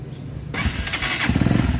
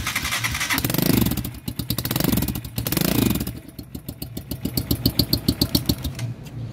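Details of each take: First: Italika-type single-cylinder dual-purpose motorcycle catches and settles into a low, even thumping idle with no exhaust hiss, after an exhaust leak at a joint was sealed with a new gasket. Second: Italika-type dual-purpose single-cylinder motorcycle starts and revs with sharp hollow puffing chuff each firing; exhaust leaks smoke at the header joint.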